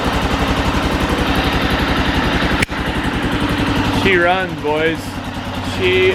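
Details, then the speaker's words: Rebuilt Arctic Cat 650 H1 ATV after a new flywheel restored spark: even single-cylinder thumping at a steady idle with no misses or knocks, carb not yet adjusted. Normal running on first start. "runs not only that she runs good since they're not ido we haven't done any adjustment with the carb yet"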